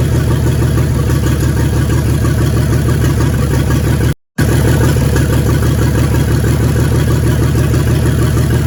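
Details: 1942 Chevrolet G506 truck, first runs in 40+ years: low, uneven thumping lope about three beats a second; misfire, plug-wire pull test shows two dead cylinders though both spark.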